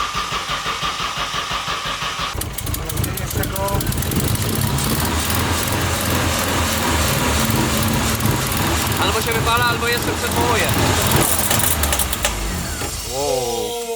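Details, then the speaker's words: Nissan S13 Silvia first start with new exhaust on a single muffler: rough, uneven rasp with a shrill whistle; abnormal noise. The turbo, stuck before, was now spinning and the noise had been heard before. Suspected turbo, not confirmed. "whoa oh that didn't sound good that really didn't sound good or not so there's one thing we noticed"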